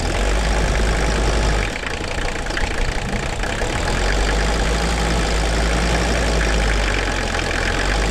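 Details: 1981 Mercedes-Benz 300 SD, OM617 5-cylinder mechanical turbo diesel, revived after sitting 5-10 years with replaced fuel lines: even, low diesel clatter at a steady idle; sounds healthy.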